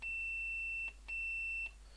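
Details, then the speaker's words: Second repaired blown speaker, tested with an analog meter's bleeper across its terminals. Clean, steady beeps are heard with no distortion. Normal speaker output after repair. "so that one's also working uh so we've got two uh two good speakers there"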